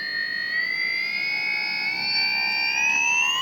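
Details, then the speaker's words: JINGWEI 4T drone power motor on a motor test tool, run from low to high speed and then full throttle: a clean whine climbs smoothly in pitch with no clicks or catches; the motor rotates smoothly, so it is normal. "OK, it's normal. A functional power motor whether the current is high, high or low, high or low speed, it will rotate very smoothly."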